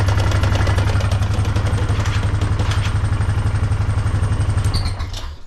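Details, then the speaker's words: 2008 Honda Foreman 500 ATV idling, shifted from neutral into first gear: heavy low clunking about four per second in the drive to the rear end; ring gear okay, owner suspects a stripped U-joint/spline on the driveshaft. "So you can see right now we're in neutral, and put it in first gear. And you can hear it clunking."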